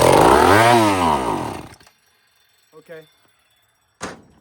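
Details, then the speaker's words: Old chainsaw, after a slight prime, catches with a rough rev that rises and falls for about a second, then dies; the carburettor is suspected to be faulty, since there is just enough gas to fire but not to keep running. "Let's see if we can get it moving with a slight prime. Friends, this is too erratic."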